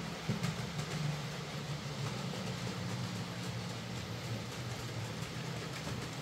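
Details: Hornby J15 model loco, slow and noisy since new about two years ago; after motor replacement and worm gear regreased, soft even rolling hum, light rail clatter, no grinding or stutter: much quieter and smoother, normal running.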